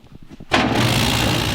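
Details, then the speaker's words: Old London, England-built bandsaw with a built-in V-belt mini air compressor and air filter, rewired from 600 volt three phase to 220: brief quiet, then it kicks on and settles into a steady, even whirring rush with no knocks. Normal running. "There's a V-belt on an air compressor with an air filter. Oh, it's like a little mini compressor."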